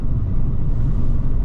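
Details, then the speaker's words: High-mileage (142,000 mi) VW Scirocco TDI with panoramic sunroof, road test under hard acceleration: steady, even low rumble with no knocks, whines or rattles; absolutely flies and feels absolutely fine, engine and drivetrain healthy. "woo it goes like clappers there certainly nothing wrong with TBO it absolutely flies it's not pulling there's no one wanted"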